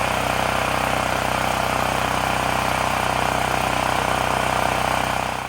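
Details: Extreme Contractor Series 6,500 W (8,500 W surge) gas generator bought almost 20 years ago, revived after long storage; after tightening a bolt that cut vibration, loud steady drone at even speed, no surging or misses, winding down at the end. Normal running.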